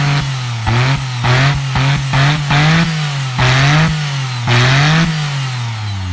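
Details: DeLorean with an upgraded V6 under full modern engine management and newly installed headers takes repeated quick throttle blips, its pitch rising cleanly and dropping back to a smooth idle; the exhaust is crisp and civilized rather than raspy, and the engine is healthy.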